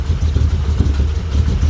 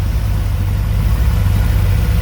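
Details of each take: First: 1985 Dodge D150 with 408 Mopar small-block stroker, Comp Cams roller 238/242 duration, .589 lift, 110 LSA, Holley-type 850 carb, first cold startup idling near 400 RPM: low, slow, choppy lope from the cam. Finding: lopey idle from aggressive camshaft. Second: 1985 Dodge D150 with 408 stroker small-block Mopar (360-based, roller cam, Edelbrock Air-Gap, Holley 850 carb), first startup, warm at steady 180°, idling solid 700 rpm untuned: deep, even rumble with no misses, knocks or ticks; normal.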